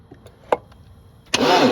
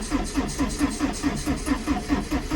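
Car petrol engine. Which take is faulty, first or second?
second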